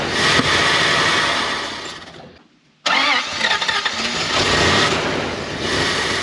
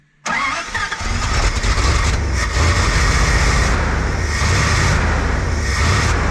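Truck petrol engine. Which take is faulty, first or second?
first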